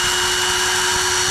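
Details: GTPRO ceiling sander brushed motor after repair: a steady high whine with an even pitch and no sparking, crackle or stutter, and the brushes still need to bed in; normal motor running.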